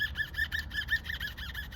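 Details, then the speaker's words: 2008 Honda Fit GD Sport with aftermarket coilovers: squeak, a sharp high chirp repeating about six times a second. The plastic lip hanging down from the top mount in the strut tower rubs the metal; the fix is to cut the lip off. "But the other problem was that he was having a squeaking noise when he turned the wheel."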